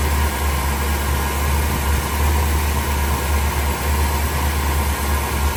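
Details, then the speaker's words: 1976 Pontiac Grand Prix Model J, 350 V8, Turbo 400 transmission; even, steady low rumble at warm idle after kicking down and a little throttle tap, no misses or knocks; idling smoothly, normal. "I'll let you guys hear it a little smoother than it is. Yeah, just a little tap."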